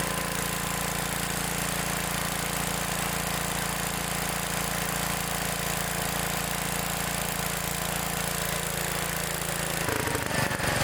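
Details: Old Gravely small engine just after a new condenser was installed, with the points arcing much less than before: it runs at a steady, even beat with no misfires or stumbles. Normal running, smoothed out.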